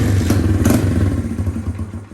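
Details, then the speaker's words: 1982 Honda XR80, carburetor refitted after tank-sealer contamination, wrong tank and missing boot clamp: small single catches at once and settles into even thumping that fades; quick healthy start. "starts right up"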